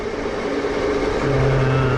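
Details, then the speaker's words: Machining a threading tool holder, spindle raised to 560 at the lowest feed: a steady, even hum from spindle and cutter with no squeal or chatter. The cutter cuts smoothly at this feed and leaves a nice finish. "The cutter seems to like that feed rate a lot better. As you can hear, there's no noises."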